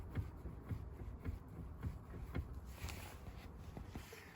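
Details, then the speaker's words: 2015 Nissan Sentra with 170,000 km: a dull, uneven knock about twice a second at the steering wheel. Forums suggest a steering column bolt needs tightening, pointing to a loose fastener. "nissan sentra 2015 год 170 тысяч пробега появился стук у руля"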